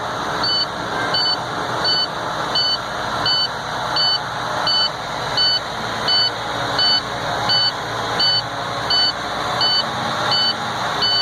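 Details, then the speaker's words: Truck air brake system test from tanks drained to 0 psi, engine at fast idle, clutch in, neutral: sharp repeating high beep of low air pressure warning while pressure builds; warning lights went out just over 60 psi after just under 40 seconds. "As you can see, the lights went out at 60 psi, or just a little over 60 psi. And it took a little under 40 seconds for it to build up."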